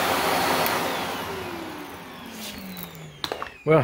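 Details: Shark NV355 vacuum bought in 2018, about three years old: strong steady motor rush easing down in pitch as it winds off, handling knocks at end; healthy, normal running.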